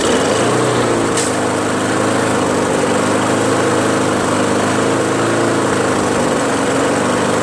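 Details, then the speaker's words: Craftsman push mower, Briggs Quantum 4.75, governor linkage tension spring detached, carburetor suspected gummy: steady high-pitched drone well above normal speed, overspeeding until it dies; carb cleaning next. "you saw it was too fast [Music] so fast that it died you see"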